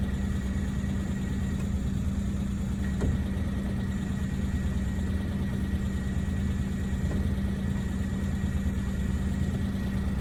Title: ジムニーJA11 クラッチ異音 レリーズベアリング新品交換後の異音でまた新品交換でもこの音が...